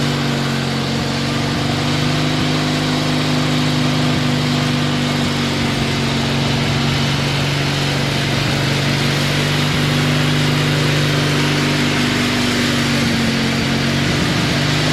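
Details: 1986 Murray lawn tractor, 40-some years old, after recurring carburetor trouble was fixed, mowing the yard: steady, even single-cylinder drone with constant low hum, no misses or knocks; runs healthy and cuts well.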